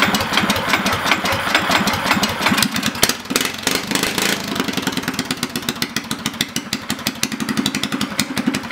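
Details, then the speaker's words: Governor-removed Predator 212cc go-kart single after swapping stock valve springs for heavier Honda 18lb springs: fires up choppy then settles to a quick crisp healthy idle putter; runs clean. "all right so before I wrap up fire it up good sounds good runs good"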